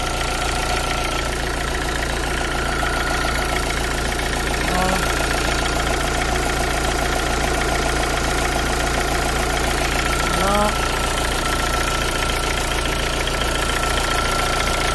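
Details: Renault Clio II dCi after alternator pulley replacement: smooth, regular diesel clatter at steady idle with no squeal or rattle from the belt side; engine sounds healthy.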